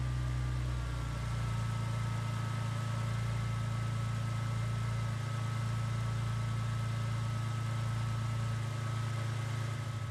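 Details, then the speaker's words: 2003 Ford Mustang 3.8L V6 after exhaust manifold replacement; steady, even low rumble at idle, fairly loud, no sharp puffing or ticking; much better than before though a slight noise remains. "Well, it sounds like It's no longer as bad as it once was. I still hear a little something, but I'm not too worried about that right now."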